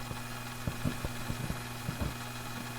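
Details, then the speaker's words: 1960s Hammond M101 organ, unplayed for years, after adding oil to the tone generator: smooth, even low hum with a few faint pops on top, possibly a tube not seated; quiet, normal purr. "okay the oil is really starting to set in I added more you can hear it's nice and quiet now"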